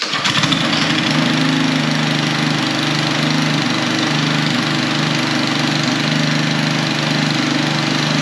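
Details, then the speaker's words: Husqvarna HU800AWD all-wheel-drive mower, sat about 3 years, on 3-year-old ethanol-free gas after spark plug cleaning, air filter cleaning and fresh oil: pulls over and settles into a steady, even run with no misses or knocks; runs healthy. "okay that sounds really good yeah i mean that all checks out it now runs"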